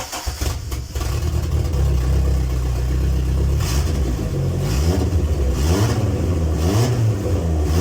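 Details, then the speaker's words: MG ZR 1.8T after intercooler and piping install: loud, raspy exhaust blowing and chuffing as the engine revs below 3000 rpm. Exhaust leak at a slightly warped exhaust flange. "the flange is slightly warped and it's causing it to blow there but it makes turbo noises and stuff it sounds cool"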